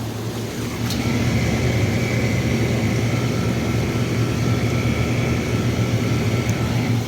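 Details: Hot tub two-speed circulation pump after replacing a damaged impeller with a new pump assembly, now on high speed and flowing properly unlike before: steady low hum with faint constant whine, no rattle or surging. Running smoothly.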